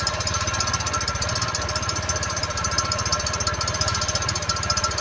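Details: Honda Click 110 carbureted scooter after starting: a fast steady metallic chirping rub about three a second over idle, caused by the rear clutch bell cooling fins rubbing the crankcase.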